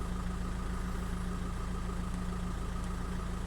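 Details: 2005 VW 2.0 TDI PD (BKD, no DPF) diesel, measuring blocks checked with EGR and boost all close: steady, even idle around three and a half firings per second, no misses or knocks; normal diesel idle.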